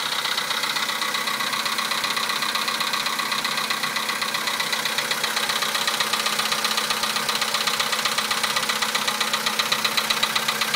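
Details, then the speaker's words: 2011 VW Polo sedan, 64,000 km, Liqui Moly 5W-40 changed 200 km ago, +2°C: sharp, even metallic ticking knock about twice a second at cold idle, cause unknown; it lasts longer as mileage grows. "За бортом +2. Такой вот неприятный стук. Уже задолбал."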